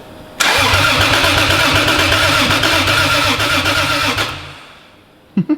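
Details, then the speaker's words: Turbo Lexus IS300 on new standalone ECU, first start after 14 months: starter churns evenly about four seconds, engine doesn't catch; crank no start, needing more fuel in tune. "All right. Yeah. Well. Need a little more fuel."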